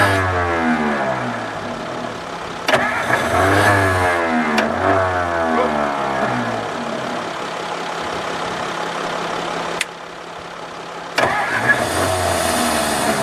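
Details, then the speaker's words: 1954 Ford Crestline Skyliner with battery cables connected, points gap opened, choke closed: steady starter churn about four beats a second with brief catches that die; cranks, fires briefly, won't keep running; owner suspects carburetor needs rebuild, starter kicking out. "But y'all did hear, it did bust off. It did not run long, but it did bust off."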